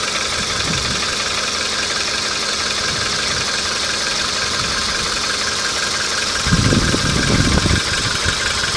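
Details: Volkswagen Polo engine at hot idle: light, uneven tapping over the engine note, roughly a few knocks per second; knock appears once warm.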